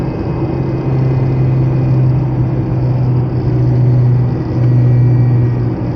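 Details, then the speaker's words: ND Mazda Miata manual gearbox after fitting a CAE Ultra short shifter; low droning whine swelling with throttle with slight shaking; transmission always made it but it was more muffled with the OEM shifter and boot; gear whine. "But it I think it the common sound here is this it just starts to whine. And the transmission has always made that sound. It was just more muffled when you had the OEM shifter on because there's like more insulation, there's another boot."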